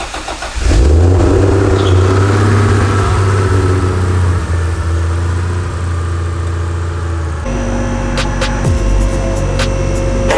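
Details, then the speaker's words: Barra-swapped Mustang GT350 on a lift, free-revving: deep rough drone with a shaky throb; not the driveshaft, suspected transmission, clutch or engine; bolts later found loose, some only finger tight. "I know it's not the drive shaft because it does a free revving. In my mind, either trans, clutch, or motor."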